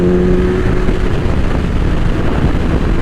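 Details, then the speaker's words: 2000 Suzuki Hayabusa, mostly stock and back from the dead, cruising a sweeper under load: smooth, even, fairly quiet exhaust drone with wind rush; plenty of power; normal running. "power is definitely there and this exhaust that this bike has it's on the quiet I thought but it sounds good"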